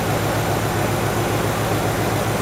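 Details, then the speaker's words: Ford GT40 built from scratch, first engine test on bare chassis, warm, exhaust with only a catalytic converter and no silencer yet surprisingly quiet; deep, smooth V8 burble at idle with no misses or ticks: normal idle. "Perquè és silenciós tot plegat. Això només és el catalitzador. No hi ha silenciós,"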